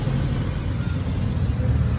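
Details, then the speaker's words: Mitsubishi L300 driven after undercarriage repair with new KYB front and rear shock absorbers and other underchassis parts replacing the earlier clunking: only smooth low road rumble, no clunks, knocks or squeaks; front end tight, camber alignment still to do. "Ito siguradong wala na tayong maririnig na ingay."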